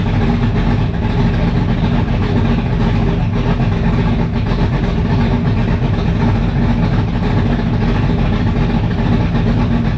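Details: 1985 Mustang GT Fox Body with fresh 347 stroker V8, carburetor, open headers, first fire; deep steady burble, even firing, no knocks or skips; sounds healthy, normal idle.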